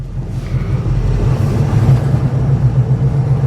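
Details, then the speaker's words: Old "Hack Job" truck after an upgrade, under way with the choke still needing to open; deep, even rumble with a steady low throb and no knocks or misses; engine sounds good, charging, has oil pressure. "We are moving. Engine sounds good. It's charging. Got oil pressures."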